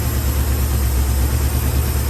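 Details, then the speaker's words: 1974 Chevrolet C10, high-mileage engine bought non-running: deep, lumpy idle that wobbles and stumbles, does not want to idle; owner notes some blow-by, rings may need to reseat, needs a tune-up; rough idle. "But anyway, it sounds pretty decent, even on no plugs, no plug wires. It's got some blow by."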